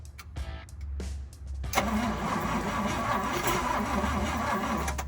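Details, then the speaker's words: Engine in fire truck project: catches and settles into an uneven lumpy tractor-like chug; rough running, owner suspects ignition timing slightly off, possibly one tooth out. "wow sounds like sounds like something crawled in the Muffler Man why does it sound like a tractor"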